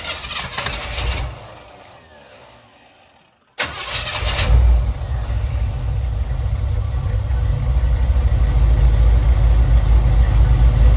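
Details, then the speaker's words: 1987 Camaro Z28 or 1985 Monte Carlo, long-sitting car with very old gas, temporary fuel line feeding a small pressure fuel pump: cranks, catches, then idles low, lumpy and stumbling while cold, starting to improve as it warms; stale fuel suspected. "it's probably not running good that gas has been in there a long long time I don't expect it to run good"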